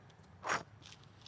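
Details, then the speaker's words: 2011 Subaru Outback 2.5i Limited, removed old rear wheel hub bearing assembly turned by hand near the mic: two short gritty crunching bursts per turn; the worn bearing caused the driveline noise heard on the test drive and was replaced. "i'll hold it up to the mic absolutely was the source of our noise"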